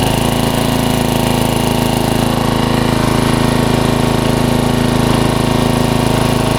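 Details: 1994 Troy-Bilt 34044 33-inch mulching walk-behind mower with Briggs & Stratton engine: steady running with a hard, regular clacking about four times a second because the twin blades are mistimed, likely after a blade change, and hit each other.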